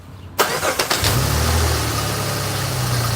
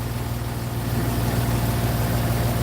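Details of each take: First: Jeep Grand Cherokee V6 started and idling: loose, uneven loud rattle over the hum from a belt tensioner flopping around with slight wobble; tensioner being replaced. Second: Jeep Grand Cherokee idling after belt tensioner and alternator replacement; old tensioner flopped and rattled loudly, belt still shakes slightly and may need replacing; smooth, even low hum, no belt flutter or chatter: normal, much quieter idle.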